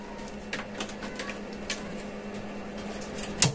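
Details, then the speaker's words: Amplifier switch-on after one leg was lifted on both supply capacitors, including the small-transformer one: one sharp, deep speaker thud over quiet hiss, even louder than before. With the capacitors connected, the thump disappears. "Jadi di saat menghidupkan dan mematikan itu menimbulkan suara jeduk seperti ini. Justru lebih kencang."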